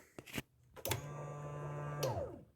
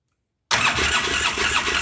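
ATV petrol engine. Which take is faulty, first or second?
second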